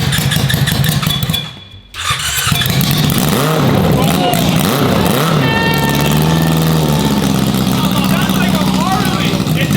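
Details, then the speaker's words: Yamaha R6 motorcycle engine swapped into a Yamaha Raptor quad, first start: cranks, catches after a short pause, revs up and settles into a strong even run on all cylinders. "sure it's running on all cylinders yeah that sounded like it"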